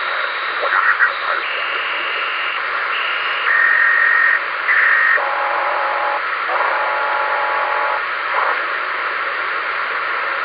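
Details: Ham radio receiver on 10: warbling, croaking tones stepping between pitches over steady hiss, pulsing a few times a second; unexplained interference noise.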